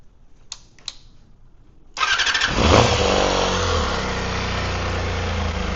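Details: Honda CBR250RR MC22 four-cylinder carbureted motorcycle with quiet exhaust, carbs already cleaned, starting and idling unevenly with a stumbling exhaust pop; misfire later traced to two separate cylinders.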